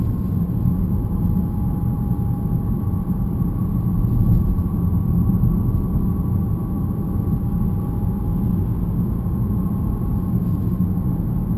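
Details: BMW E90 318 while driving: faint steady metallic whine over heavy road rumble, much louder in person; brake pads recently replaced; problem found to be the rear differential.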